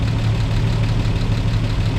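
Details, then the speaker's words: 1949 Chevy Fleetline after refilling coolant and bleeding, battery reinstalled: low, heavy idle with a lumpy, uneven pulse under the exhaust beat on startup; rough idle, cause not pinned down. "Let's start it. Not running. I was like, why is it so rough?"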